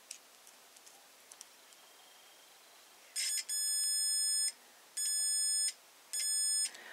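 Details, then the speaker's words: Multimeter in continuity mode with probes on both ends of a blade fuse: three long, steady, high-pitched beeps show continuity, so the fuse is good. "escucha un pitido, por lo que este fusible está bien."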